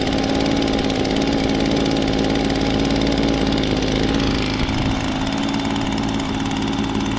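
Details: 2016 Echo PB-265 blower with a 25.4cc two-stroke engine, started for the 2020 season: a steady, even drone with constant fan whoosh and no misses or surging. Normal running.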